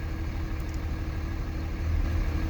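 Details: Cummins diesel rough idle with uneven, lumpy low rumble; owner suspected bad injectors, but cause was a loose fan clutch electrical connector.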